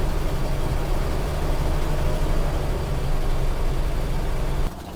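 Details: Toyota FJ40 after overheating repair (fan clutch, thermostat, coolant), idling while bleeding cooling system with heater on hottest: steady even low rumble, no knocks or misses, then switched off; normal idle.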